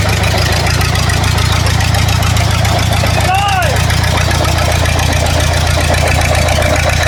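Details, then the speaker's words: War Department roustabout crane on an International tractor, unrun for 35 years, running on its own diesel despite an injector line leak. Quick, even clatter of roughly three to four beats a second held steadily; runs evenly. "Well, now we know that it runs like an absolute clock."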